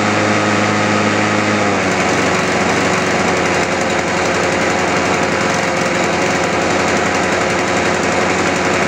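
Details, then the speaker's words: World GRL 530S mower with Loncin 196cc engine that would not start; the choke throttle was not closing fully. After the repair it catches and settles into a steady, even run with no misfires or surging: normal start and run. "możemy przystąpić do próby uruchomienia zobaczymy czy nam to pomogło"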